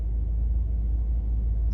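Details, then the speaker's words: 1985 Chevrolet Caprice Classic, 5.0L 305 V8, ~152,730 miles, warm, after EGR valve replacement (before: low rough idle, stalling): after a little gas it idles smoothly, deep steady rumble, no stutter or stall. "now idle is very smooth a little gas and it idles no stutter no stall"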